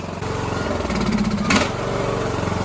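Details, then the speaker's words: Poulan riding lawn tractor with a 19.5hp Briggs engine, after a carb clean and reconnecting the solenoid plug: catches and settles into a steady, even chug with a brief rev blip. It runs on its own power; a new battery is needed. "Pretty cool stuff. Cool. She starts on her own power."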